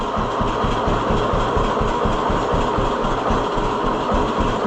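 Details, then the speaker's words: 1948 John Deere B two-cylinder tractor with Wico X magneto, after maintenance: slow deep chuffing near four per second, firing on both cylinders with no misses, idling lower than before. "Yeah, that's something. I don't know why I don't think it would have idled that low before."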